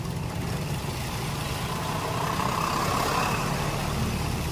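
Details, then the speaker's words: Toyota Vios with hard starting and jerking: steady low idle with an uneven, stumbling beat; cylinder 3 misfiring on a dead spark plug, shows no reaction when tested. "sa number 3 dito ay medyo patay na talaga yung spark plug. Nawala na yung reaction, hindi tulad nitong iba na may reaction pa talaga yung engine."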